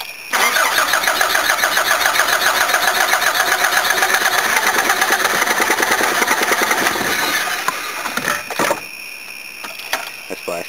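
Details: Van that stalled and wouldn't start, smelling of fuel with petrol in the oil: long steady cranking at about 3.5 turns a second that never fires; a badly flooded engine, hard to start.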